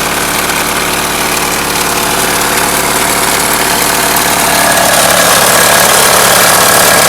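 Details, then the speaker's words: 1997 Mitsubishi Eclipse at idle: loud steady tapping about four times a second, newly started; seems to come from the timing belt area, owner heard it might be lifters; no overheating, no oil pressure light, cause unconfirmed. "It doesn't seem to be coming from the engine, but more from the timing belt area. There doesn't seem to be any kind of overheating or anything."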